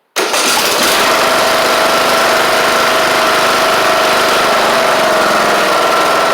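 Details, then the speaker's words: Free Husqvarna YTH2042 riding mower with single-cylinder engine, sat for years: quick catch then steady even run, no knock or miss; normal start and idle. "Sounds good. Doesn't sound like it's knocking or anything like that."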